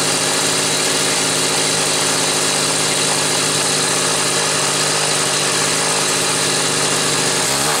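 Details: Homelite Super 2 SL chainsaw, carburetor inlet seat once gummed by caramelized fuel, on a test run: high buzzy two-stroke note holding steady with a short blip near the end; runs clean and strong; normal running.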